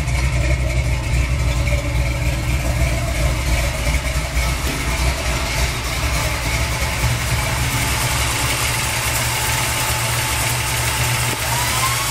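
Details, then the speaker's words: 350 V8 with big cam, just reassembled and fired up: deep uneven lope at idle, somewhat noisy valvetrain, no knocks; normal for the big cam. "Kind of noisy valve train, but it does have a big cam."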